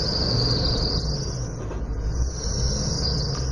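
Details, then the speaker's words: Older motor home with squeaking drive belts: a high, thin squeal wavers over the engine rumble when revved as the belt slips on its pulleys, and battery charge reads very low. "this is the result of my problem here you see the uh the battery charge coming from there it's it's really low and if I give it some gas the and you hear the belt"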